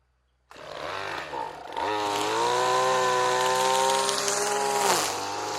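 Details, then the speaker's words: RedMax two-stroke weed eater that sat for years, carburetor bad, run on mixed gas with Lucas 2-stroke oil: revs to a steady high buzz, then a dull knock as the throttle is released. "Okay, throttle works, Hear that knock when I let off? That don't sound too good."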